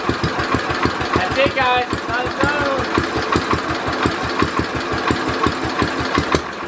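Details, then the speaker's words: Simplicity Landlord 2010 tractor engine running after timing fix and new flywheel key: single thumping with a fast, even tapping knock; owner suspects a rod knock, and the carburetor still needs tuning. "like I said I think it has a rod na which is not good something sounds a little bit off on the engine"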